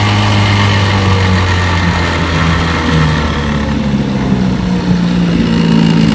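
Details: Restored 1958 5.5 hp Evinrude two-stroke outboard (replaced power head, carburetor, gear case), warm, pushing a 14-foot John boat about 7 mph: steady buzz under load, slightly wavering pitch over water noise, no misfires; healthy.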